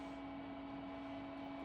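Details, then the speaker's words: HP Pavilion desktop running Windows 2000, heard in the background: steady low hum with a constant vacuum-cleaner-like whoosh and no speed change; loud fan noise, owner suspects it needs a new fan. "yeah and this desktop is pretty loud too if you can tell in the background I think it needs a new fan somewhere uh but it almost sounds like a like a vacuum cleaner"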